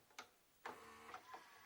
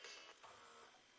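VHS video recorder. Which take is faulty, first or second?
first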